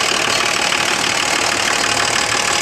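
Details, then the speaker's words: Old boneyard-ready turbo diesel car with an open intake. Steady, even idle under a loud airy intake hiss, no knocks or misses, runs like brand new. Normal idle. "as much as it's ready for the bone yarn it runs like brand new it's got an open intake over"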